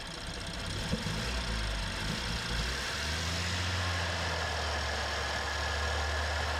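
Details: BMW N55 first start after valve cover install with fuel system opened, fuel pump primed: uneven lumpy firing for first seconds, then steady idle; rough start attributed to fuel refilling the opened lines.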